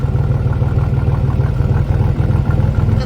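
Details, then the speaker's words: Salvage Cadillac Cimarron 2.8 at idle: rapid low puffing pulses about three a second, fairly uneven chuff over the idle; exhaust leak. "you hear it definitely has an exhaust leak i just noticed that"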